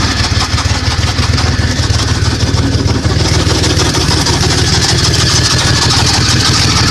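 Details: 1998 Dodge Dakota 3.9 V6, swapped engine that had no spark because a broken camshaft gear left the distributor not turning, first start after the fix: steady, even low idle with no misfire, stumble or knock; running normally.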